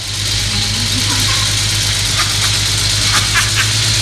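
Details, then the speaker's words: First start of a vintage BMW E36 with a swapped N54 twin-turbo engine, started after jumpering; settles into a steady, even idle with a deep hum, no knocks or misses, running healthy. "No. Let me try jumpering it. Yeah! It starts! Woo-hoo-hoo!"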